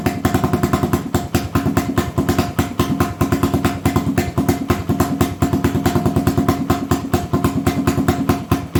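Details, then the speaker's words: 1980 Honda XL250S single-cylinder, worn bike with no-start and bad idle, carb mixture being adjusted: uneven stumbling popping at idle; slightly richer than middle causes stutter, leaner shuts it off; owner suspects mixture, not confirmed. "so if i make it a little richer from the middle that causes it this butter if i make it leaner from where it is in the middle it just shuts off"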